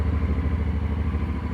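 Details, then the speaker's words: Honda NC750X DCT twin, not run for a few days, fresh oil, recorded up close to the engine: steady low even idle, valves silent, no knocking or ticking; runs smoothly and healthy. "bardzo ładnie chodzi Proszę posłuchać przyłożę do silnika cichutko zaworów nie słychać"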